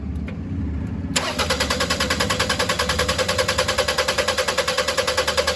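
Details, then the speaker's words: 2001 Toyota Highlander 2.4L 4-cylinder with extended crank, check engine light, fuel pump already replaced: starter churns evenly at about 2.5 turns per second without firing, fuel pressure slowly building to only about 15 PSI with no prime; extended crank from low fuel pressure. "All right, you can see it's taking time to build up pressure. We're getting up to like 15 PSI. At this point, the engine's not even really starting."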